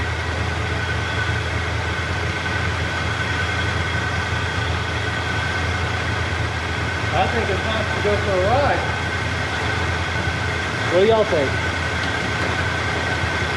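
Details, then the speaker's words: Chevy Nova Super Sport V8 after a replacement distributor with vacuum advance and the air cleaner refitted. Steady, even idle with a deep low burble and no misses or knocks. Normal, smooth running. "i think she's going to be a lot better she sounds good i mean she sounds freaking great"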